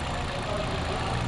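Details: Toyota Fielder idling smoothly after injector cleaning (injectors tested, flow corrected); previously misfiring and lacking power, fuel filter in tank to be replaced. Steady, even low idle, no stumble or skipped beats, running on all cylinders.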